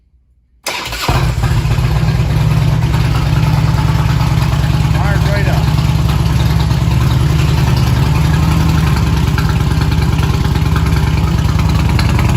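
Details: 1999 Harley-Davidson after fuel pump replacement and reseating a loose inline fuse connector so the pump primes: short crank, then fires into a steady loping V-twin idle with no misses; healthy start and idle.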